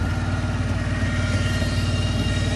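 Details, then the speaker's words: Cheap Rolls-Royce V8 at idle, 32°: smooth rumble with a loud steady whine above it; belt looks slack with lots of play, belt drive or accessory suspected. "that belt is really sort of slack looking and something's whining like mad."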